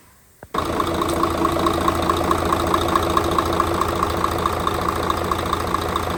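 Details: Mercedes Actros OM501 diesel truck, first start after cylinder head repair for intake valve recession and valve adjustment; catches after a brief crank and settles into a steady, even idle with light regular clatter; normal idle, sounds healthy.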